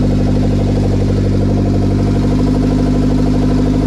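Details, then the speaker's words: Engine idling on its own for the first time on a startup base map, with no radiator or cooling system fitted, in a K20 turbo RHD Civic wagon; the first start was a little choppy. Steady, even idle with a smooth low drone, no misses or knocks. "I am stoked dude I am so stoked it's idling on its own"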